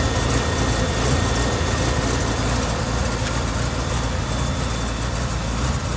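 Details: BMW E38 750i M73TU V12, started from cold at +8°C: low idle with an uneven, lumpy beat and occasional stumbles. Random misfire in all cylinders shakes it at idle but not when driving, with no power loss; cause unknown.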